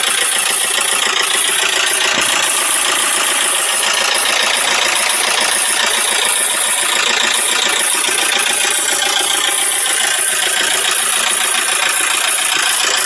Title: стук клапанов о поршни 4JG2